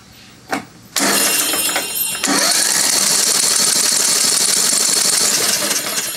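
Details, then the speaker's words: Craftsman LT2000 mower with a Briggs 17.5HP engine, battery possibly low on charge, cranked before a compression check: steady, even cranking whirr with a bright starter tone and no knocks or grinding; normal cranking. "right, we don't hear any weird noises. Let's check compression."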